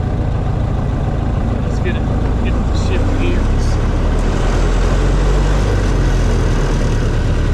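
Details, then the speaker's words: Restored 1926 Ford Model T two-door sedan, driving: steady low growl under an even engine note, from the transmission brake band clamping on the drive shaft; normal for this car. ">> You can hear that growl. >> Yeah. That's because this has a transmission brake. It uh has a band that clamps on the drive shaft"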